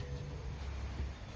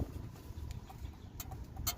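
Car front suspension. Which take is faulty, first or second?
second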